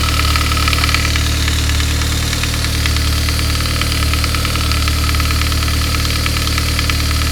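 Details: 1999 Saab 9-3, 110,000 miles, after a head gasket job, lifters quiet and oil pressure high: cold idle with quick, continuous metallic chatter that goes away after a couple of minutes; upper timing chain guide, solved by replacing it.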